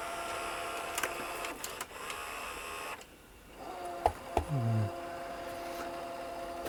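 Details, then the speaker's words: National NV-G12 VCR playing a test tape: irregular clicks and clunks from the tape drive, then a strained tone bending upward as the mechanism drags; something suspected gone stiff, cause not confirmed. "well that's no good is it wonder what was what was upsetting it there something gone stiff in there"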